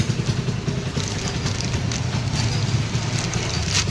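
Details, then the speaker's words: Honda Hornet motorcycle at idle with severe timing chain noise; loose metallic rattle chattering over the idle beat, never settling, blamed on the timing chain adjuster/tensioner, to be replaced. "এই হটনারের গাড়ির problem হলো যারা timing চেনা মারাত্মক আওয়াজ আসছে আওয়াজটার জন্য আমরা দেখাচ্ছি আওয়াজটা কি আছে"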